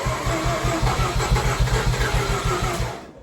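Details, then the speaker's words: Renesis bridgeport turbo Mazda RX-8 rotary on its factory series 1 starter, before swapping to a 2K starter: slow, lazy cranking at about three and a half pulses a second that never speeds up. Slow cranking from a weak starter motor. "It's a little bit slow on it. So, hopefully that new one will fire that engine up no problem."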